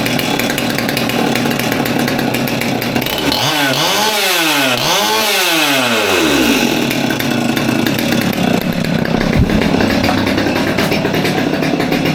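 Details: Old Stihl MS200T top-handle chainsaw that idled fine but wouldn't rev, after teardown and fuel line replacement (suspected cause): revs up cleanly twice and drops back without bogging, then holds a steady, even high-speed run; running healthy.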